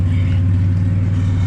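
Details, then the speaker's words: Ford AU Falcon drift car, just started after a gearbox lock-up, jump-started earlier, still warming up; loud even idle with coarse buzzy flutter on the low exhaust note — exhaust rattle. "The old girl, can hear the exhaust rattling."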